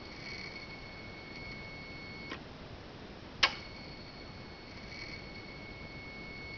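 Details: 2013 Hyundai Genesis Coupe 3.8 GDI, ignition on with the engine off: a steady thin whine with a sharp click at each light press of the gas pedal; the owner suspects the throttle body and its electric motor and plans to replace it.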